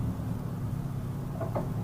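Over a low steady idle, a brief whirring motor sound rises twice as the pop-up headlights lift; the mechanism works normally.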